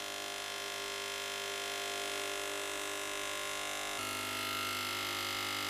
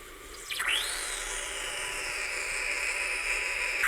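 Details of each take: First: Gaggia Cubika espresso machine: loud, steady, high pump buzz with no gurgle or water sound; pressing the steam button gives nothing, so the pump runs without water flow through a blocked path. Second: Gaggia Cubika espresso machine being repaired after producing no water or steam, steam function tested: rising hiss leveling into steady high-pitched rush of steam with light sputtering; steam wand producing steam.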